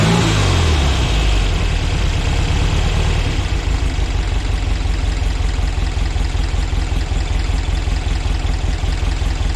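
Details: VW Split Bus flat-four, upgraded from 1904cc to 1968cc (92mm pistons, 74mm crank), dual Weber carbs with 32 venturis and 1.45 main jets, SuperStock heads with 37/32 valves, freshly timed, microphone up close: quick crank, then a steady, even idle with no knocks or misses; normal start.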